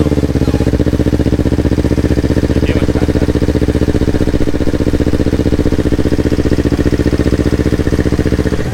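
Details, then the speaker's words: Yamaha R25 with a swapped-in R3 engine at its first start, on a borrowed Akrapovic exhaust, before ECU mapping: a steady, even idle with a crisp, regular exhaust pulse and no knocks or misses, the twin running cleanly. "Oke, nih first startnya R3. Nanti kalau udah oke semua, kita lanjutin lagi."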